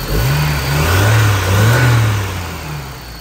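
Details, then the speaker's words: 1993 Toyota pickup 22RE just after a water pump replacement, running on straight water: engine revs up and down twice with a faint high whine above the rumble; owner says the whine doesn't show when stomping the gas; source unknown. "Sounds like it's got a turbo or something. It's got a whine. I have no idea."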